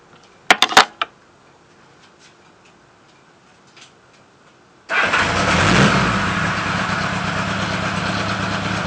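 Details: Honda GL1000 motorcycle: quiet clicks, then engine fires and settles into a loud idle with slightly uneven beat; suspected misfire, unconfirmed.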